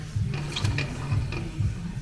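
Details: Vauxhall on a ramp, passenger front wheel raised and spun by hand: rhythmic scraping grind about twice a second, front pads worn to metal on the discs.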